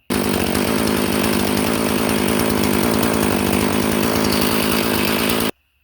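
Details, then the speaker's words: Husqvarna 450 chainsaw after carburetor replacement, idle speed raised: steady, even two-stroke idle with no surging or stalling. Idle now set right, so it starts easier and resists flooding. "So idle it up just a little bit, it'll crank right up, and it'll make it a lot harder for it to flood."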